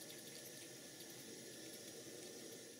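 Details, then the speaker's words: 5-inch gauge GWR 14XX model steam locomotive, first live steam test on a gas burner: steady hiss with a fine high bird-like chirping warble as the injectors pick up and feed water to the boiler properly. "both of these injectors work perfectly fine you can hear that beautiful sound of the injector makes when it's working it's a bit like the sound of a little bird"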